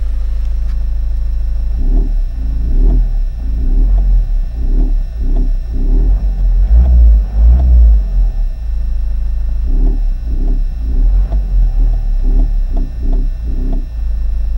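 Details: 2004 Toyota Corolla 2.0 D4-D diesel after a motorway run, ventilation off: deep heavy drone with slow throbbing pulse about twice a second at low revs; earlier sounded like three cylinders on acceleration, injector suspected, cause unclear.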